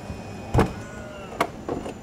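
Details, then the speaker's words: Tesla Model X P90D falcon wing door opening: quiet motor hum with sharp clicks, stopping instantly when capacitive pinch-sensor strip along door edge is touched; safety stop working as intended. "so when you open the door and you press it or a touch come in contact with this it will stop instantly"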